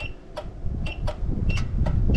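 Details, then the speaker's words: Off-grid cabin solar tracker, controller in manual mode: sharp, irregular relay clicks, about three a second, showing power reaching the 12-inch east-west actuator, but no motor sound; the actuator does not move and no board is burned. "hear the relay clicking in so I'm 99% sure I'm getting power to that actuator but uh let's open this up and see if we can get this to work"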